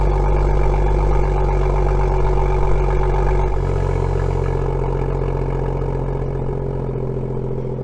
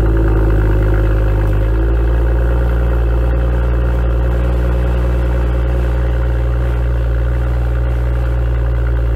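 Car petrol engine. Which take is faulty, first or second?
second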